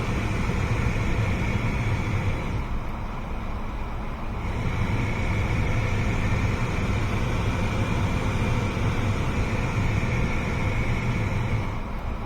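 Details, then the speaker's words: 2017 Ford Fiesta, A/C recirculation actuator behind the glove box after repair of a clicking complaint: only steady blower hum as the recirc door swings over and back, with no clicking; the actuator works normally. "No more clicking."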